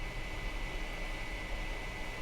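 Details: iMac with the fans stuck at full speed for over a year and a half despite temperature below 70°: constant loud rushing air with a steady high whine. Fans already replaced; fan control board suspected next. Excessive fan noise.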